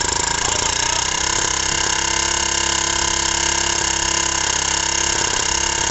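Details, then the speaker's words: Honda G100 generator engine on the bench, with a chunked piston, two broken rings, a worn oil control ring, a badly scored bore and next to no compression: a rough clattering piston slap, about three to four knocks a second. "well look at that I wouldn't say there was compression there but she ran oh my God what a noise that was a lot of piston slop"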